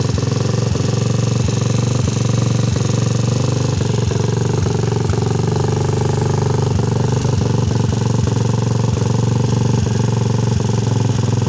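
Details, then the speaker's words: Rusi 150 single-cylinder motorcycle with weak or no spark, ignition coil fault; after replacement it starts and idles with a steady beat and light regular tick, no misfire, no other fault. "yan umandar na siya So Okay lang wala ibang sira to"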